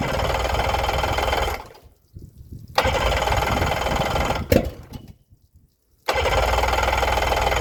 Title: Yamaha 90 crank no start after CDI swapp